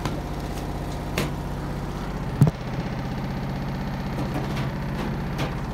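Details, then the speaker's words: 2005/2006 Maytag Neptune washer at maximum spin speed; loud steady low drone with occasional sharp knocks as it shakes hard; owner suspects an unsturdy or unlevel floor and is levelling the washer. "the washer is vibrating if the floor is not sturdy enough while we want the floor to be leveled"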